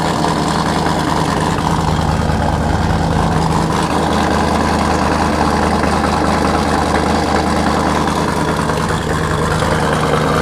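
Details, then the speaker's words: Camaro V8 with Sniper EFI, after cold start, recorded from behind the car: loud, lumpy idle settling into steady even rhythm, no knocks or misses; running well. "got the harnesses in car's running really really good"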